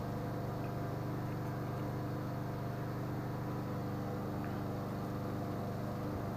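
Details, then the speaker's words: Husqvarna mower with a Kohler engine that the customer said wouldn't run, left running 30–40 minutes as a test: a steady, even drone with no misses, surging or knocks. "That Husqvarna still seems to be running good"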